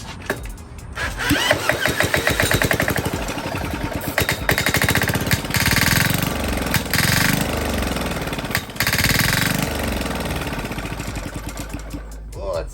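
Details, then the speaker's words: Old Yanmar L40AE-DB single-cylinder diesel go-kart engine started with ether, running with muffler removed: loud, raw, uneven chatter of rapid firing pulses barking through open exhaust; harsh running without muffler. "that sounds terrible let's get that terrible Muffler back on it"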